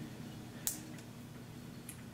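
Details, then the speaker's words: Honda CVT push-belt (Civic Hybrid/NGV type), turned by hand in a quiet room, gives two sharp isolated snaps: clicking from a failed steel band in the belt or at the pulley. "se oye un chasquido justo allí, es una de las correas de acero que ha fallado en la polea o en la correa de transmisión misma"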